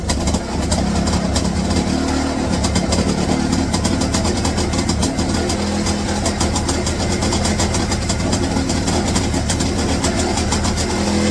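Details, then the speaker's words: 1966 Puch Allstate two-stroke, first start in 48 years, throttle possibly hanging open: it catches straight away and holds a fast, busy rattle with small blips; runs steadily. "holy holy hell it runs and sounds"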